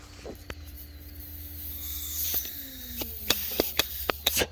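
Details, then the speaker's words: 2016 Chevrolet Cruze 1.8L secondary air injection one-way check valve, old carbon-clogged one removed: air blown through backwards gives a thin hiss and faint whistle, while the new one passes no air; old check valve leaking. "hear it there so this one here is the brand new one it lets no air no air whatsoever sweet so that's how you know that one's bad"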